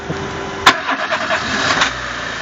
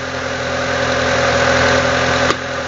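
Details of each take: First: 2000 Renault Laguna 1.6 petrol with motorized throttle body, just reassembled after intake backfiring and hard starting: short starter crank, then the engine catches and holds a fast, raised idle; throttle position relearn needed. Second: 2000 Renault Laguna 1.6 petrol after throttle-body position relearn and throttle blips, engine running: steady, even idle with a constant hum and no knocks or misses, one brief click near the end. Normal idle.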